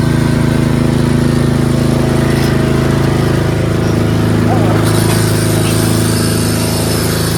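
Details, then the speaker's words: Craftsman 13.5 HP 30-inch rear-engine riding mower with safety switches and solenoid bypassed, running at idle: steady single-cylinder thrum with a buzzing rattle from a loose clip vibrating, still rattling even after taping it. "That annoying noise is this clip over here. Put some tape on it, but it still makes some vibrating noise."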